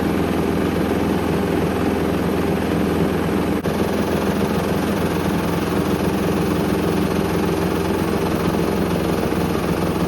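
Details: Hoover Link HL1682D3 washing machine, badly damaged, door seal twisted, on spin: loud steady roar with constant low rattling, whole damaged cabinet shaking and banging, extremely loud; still works.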